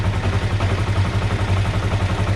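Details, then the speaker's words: 2005 Kawasaki Ninja 500R twin revived after sitting 10 years, started after carb work, battery connected while checking charging: steady low even throb at idle, no knocks or rattles, running great; normal idle, though idle later drops slowly, owner suspects intake boots leaking air. "So let's see where we go here. Sounds great, man. This thing's running great."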